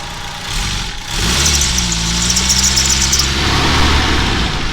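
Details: Geo Tracker after replacing cracked exhaust manifold with header, chilly morning: catches after brief crank, settles into steady even idle with no ticking or puffing; no exhaust leaks heard, some welds possibly incomplete.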